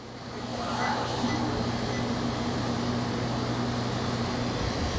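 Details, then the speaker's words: Webasto air conditioner on a center console boat after swapping the whole control box: even blower rush with steady low hum, no rattles or cycling; blowing ice cold, running normally. "Blowing ice cold. Everything's looking good."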